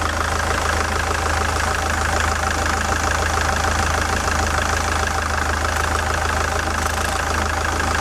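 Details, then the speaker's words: SsangYong Kyron D20DT diesel at idle, fan removed: fast, fairly regular knock about three per second over the clatter; belt tensioner spring swinging back and forth, roller off belt centre, belt edge chewed; belt tensioner knock. "Если вы заметили, вот этот натяжитель, вот эта пружина, она балансировала туда-сюда. То есть, когда я поставил стетоскоп на неё, там были просто оглушительные стуки, которые даже били по ушам."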